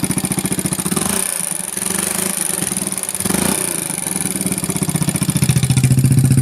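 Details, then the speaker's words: Motorcycle rebuilt about a month ago, running a big loud aftermarket exhaust, was smooth at first but turned rough around oil-change time: light, rapid ticking on the engine beat that sharpens as the throttle opens; tappet ticking from loose valve clearance. "Kalau makin digas makin ngeletek ngelitik Apa ngeletek ini Ya dibilang ngelitik tapi agak ngeletek dibilang ngeletek tapi agak ngelitik intinya kayak gini suaranya nih"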